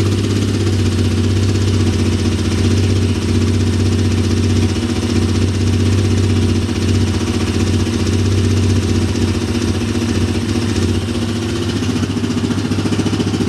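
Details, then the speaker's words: Big Bear ATV single-cylinder engine on first start after top-end rebuild (honed cylinder, new valve seals, head machined): even low fast-idle putter, no misses, knocks or ticking, no smoke; healthy. "no smoke so that's a good sign no smoke"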